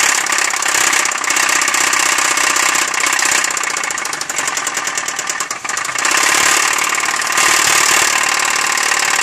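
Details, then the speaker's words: 2003 Chevy Malibu, engine running: heavy, uneven deep internal knock about four per second, a bad knock from inside the engine; engine to be pulled and torn down to find the cause, replacement engine ready. "okay well as you guys guys can hear that's a pretty bad noise for inside the engine"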